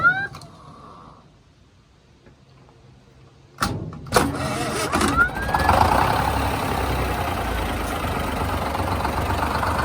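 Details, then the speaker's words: Lima 34 shovel's old two-stroke diesel after repair: the governor speed control, found frozen and stuck wide open, was freed and the idle screw adjusted. After handling noise it cranks, catches and settles into a steady, even idle, with the governor now holding speed. "start putting this back together and see uh see if we fixed it so that did fix the [Music] governor i had to adjust the idle screw"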